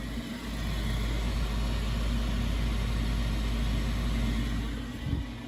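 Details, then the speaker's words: 13-year-old Peerless PureFire gas condensing boiler with high-limit lockouts and no heat or hot water, lit from cold; a bad primary circulator is suspected. A soft light-off, then a steady low roar with no pulsing or rumble; the burner ignites and fires. "all right let's see if she fires up and what happens when she fires up or cold looks just like an Alpine just upside down okay we have ignition"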